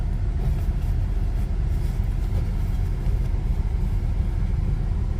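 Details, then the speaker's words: 1993 Nissan Pathfinder XE V6 automatic with rebuilt motor, warm idle after driving a few miles: low steady rumble, even beat, no knocks, ticks or whine; smooth healthy idle. "so i'm idling right now after driving it a few miles out here as you can hear sounds pretty"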